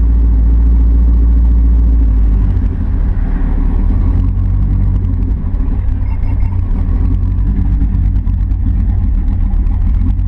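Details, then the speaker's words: Camaro engine after losing power at wide-open throttle and stalling when coasting, restarted: rough idle with a loose, uneven chatter of about three knocks a second from low in the engine; bottom-end bearing problem suspected. "well I was getting ready to go and now I hear chatter so I'm going to turn it back off and check the oil again that don't sound good"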